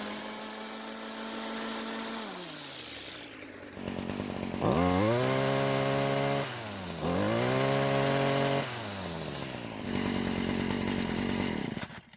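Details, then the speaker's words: Stihl string trimmer: the engine snaps up to a high, steady scream several times and drops back cleanly, reaching full revs without bogging and much louder as the exhaust flows freely. "as you can hear it's finally getting to full speed and it's a lot louder than before which means the exhaust is able to leave the engine with a lot less restriction"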